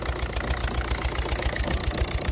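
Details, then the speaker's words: 1.6 HDi diesel with blue smoke and unstable idle: sharp rhythmic chuffing tick about six per second with hissing at idle; a loose injector with leaking seal is leaking combustion gas, injectors to be removed and seals replaced. "voilà comme on a dit on a un problème de juin jacques terre qui fuit"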